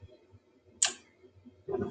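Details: Mid-efficiency gas furnace without thermostat, startup sequence: igniter, one sharp click as the gas valve opens, then the burners catch with a soft rising roar; normal light-off.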